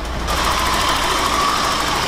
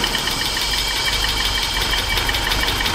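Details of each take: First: BMW E30 318i M40 four-cylinder running on three cylinders, before repair: lumpy, tappy idle with an uneven beat, one cylinder missing from the rhythm; spark plugs already replaced elsewhere, dead cylinder traced to a broken rocker arm. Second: BMW E30 318i M40 four-cylinder, previously running on three cylinders, after repair: smooth, even idle with steady hiss and valve chatter on top, no misfire stumble; running cleanly on all cylinders, normal idle.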